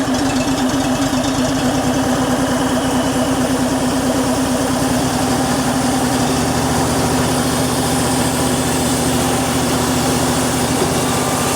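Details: EZ Liner power pack small single-cylinder engine, warm, idling after a half-choke start with hydraulic bypass on and air tank closed, before throttling up. Quick, even, steady beat with no misses: normal idle.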